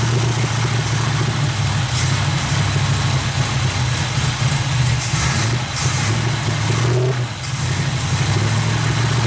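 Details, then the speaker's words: 350 SS truck V8 at first start, after patching a large vacuum leak from the unconnected brake booster: steady low drone with uneven lumpy beat; runs rough, owner suspects tight valves and plans a valve adjustment. "I kind of quit cameraing because I was busy, but I don't know, it don't sound too impressive. Sounds like the valves are tight or something."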